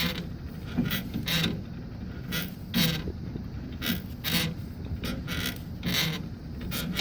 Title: Bearing noise after installation with new one